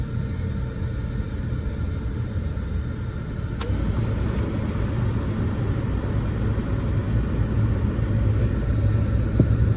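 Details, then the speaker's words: 2003 Ford Taurus running, heater not blowing warm air: steady engine rumble with one sharp clunk from behind the dash; a failing heater blend door actuator. "thunk you hear that sunk I'll do it again air conditioning is on works fine th sorry to exaggerate so that is the blend actuator"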